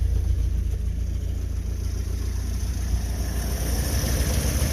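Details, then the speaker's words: Willys just started after sitting, starting fluid sprayed, in neutral, hot day: even low putter at idle, no ticking or knocking, faint carburetor hiss quieting once intake fitted; smooth healthy idle. "boy is that her like a sewing machine that's just sweet that really runs nice no loud noises no ticking"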